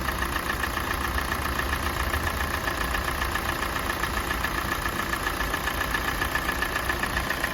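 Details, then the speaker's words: Kia Sportage 2017, G4NA engine, 265,500 km, idling as it warms up after idle speed drops: quick regular light tapping about three to four per second, absent at cold start; seemingly not piston slap, cause unknown. "По мере прогрева мотора возрастает вот какой-то стук, которого при пуске не было."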